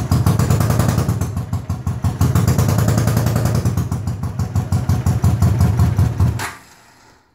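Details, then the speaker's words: 1980 Honda CX500 V-twin, non-running yard bike started via a jury-rigged ignition switch after rewiring: just after starting it runs lumpy with uneven pulses and a stumbling beat; rough running, needs carb work. "need some carb work but it's a runner"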